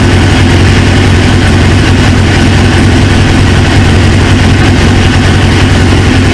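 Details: 1999 Suzuki GSX-R 750, newly installed used engine, restarted after reseating a pinched fuel quick-connect O-ring: loud steady idle, continuous low rumble holding speed without dying; running, owner then suspects an injector O-ring leak.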